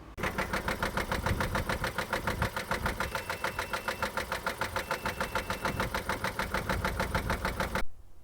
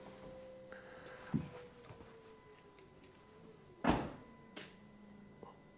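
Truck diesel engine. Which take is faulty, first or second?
first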